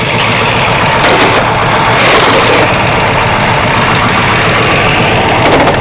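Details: Freshly built 1970 Camaro 350 V8 (10.25:1 forged pistons, steel crank, LT1 intake and carburetor) mounted in the subframe, warmed up: loud, steady, even idle with full rumble, no knocks, misses or surging; normal warm idle.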